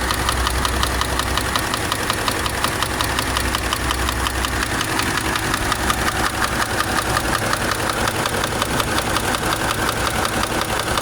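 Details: Subaru engine at idle, owner deciding whether to repair it or buy a replacement engine: a steady, sharp ticking knock about three per second stays even throughout the idle, a clear internal engine knock.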